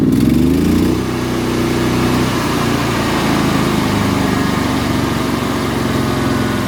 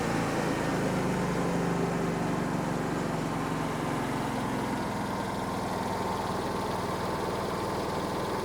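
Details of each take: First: Hobart Champion Elite 225 welder engine after idle solenoid fix: switching from run to auto idle, it drops from high speed to a steady low idle instantly with no hesitation, where before the fix the drop was slow. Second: Hobart Champion Elite 225 welder engine idles low and only slowly picks up to high idle when an arc is struck, arc cutting out meanwhile; sticking idle solenoid, before solenoid replacement.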